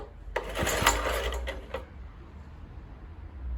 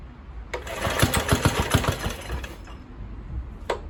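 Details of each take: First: Kohler K101 engine on an Atco mower with a cleaned Walbro carburettor, fuel dripped onto the head, choke off: a brief burst of quick, uneven popping for about 1.5 seconds, then it fades; the engine fires but doesn't keep running. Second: Kohler K101 engine on old Atco mower after Walbro carburettor cleaning, choke off: ragged uneven firing bursts that fade and restart; only catches briefly, won't run steadily; surging and dying.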